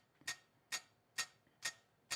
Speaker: We shouldn't hear the clicking in our headphones if the gate was working.